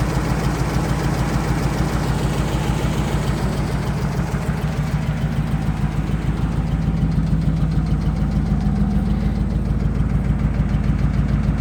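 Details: 2005 Ram Hemi V8 idling with a steady, deep knock about three times a second throughout: rod knock.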